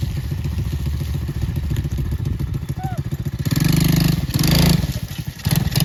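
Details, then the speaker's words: Four-wheeler run after months of winter storage: a loose metallic rattle rides the engine pulses at idle and on throttle blips, starting right after a mud run. Source not pinned down; the owner fears something broke. "I started rattling. I mean, you hear that? I hear it. It's not supposed to do that. It started doing that after I did that."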